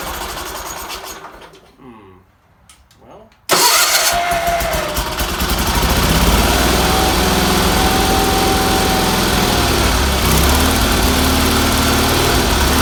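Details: Red Roper engine after new fuel filter, fuel line, pulse line, wiring and exhaust, some tuning done; weak fuel pump suspected earlier: short crank, fires instantly and settles into a loud, steady, even beat; twin runs healthy.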